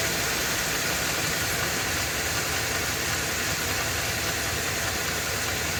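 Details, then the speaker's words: Ford F250 with 7.3 L Godzilla gas engine, serpentine belt removed, hot day, at idle with some load: steady rough idle with loose uneven knocking that remains with the belt off; internal engine knock. "the noise is still present so make sure you pay attention to that"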